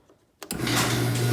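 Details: Chamberlain C253 0.5 HP chain-drive opener on a 9x7 non-insulated door, reinstalled correctly with travel limits set, heard up close: motor kicks on sharply then steady hum with chain whir, no grinding or binding; normal operation.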